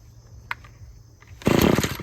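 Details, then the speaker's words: Husqvarna string trimmer after freeing a sticking trigger and adjusting the carburetor: sharp clean high-rev scream with steady firing, string whistling, no stumble; now running right. "All right, so you could hear how those RPMs are way up there now. You can hear that string whistling now."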